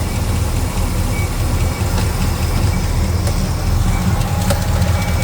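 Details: Small block Chevy V8 with hydraulic lifters, running during rocker arm valve lash adjustment: steady lope at idle with light sharp ticks over the rumble; a loose rocker arm chattering in the valve train.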